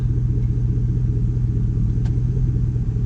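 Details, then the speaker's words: Cadillac Escalade stock 5.3 LS V8: deep, even idle rumble holding steady in gear, no dip below 500 rpm as before; normal smooth idle. "but just listen to it idle it sounds a lot better to me nice and smooth"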